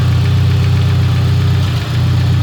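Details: Engine after a tune, next-day start-up after stalling twice; loud low idle with rapid pulsing beat and slight unevenness, noise seeming to come from the head; runs badly, cause unknown.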